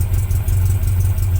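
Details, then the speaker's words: VW Beetle boxer engine after setting ignition timing: low, even putter at a slow idle of about 600 rpm, steady beat with no misses or clatter; normal idle. "So ni memang idle yang aku setting lah, dalam 600 RPM."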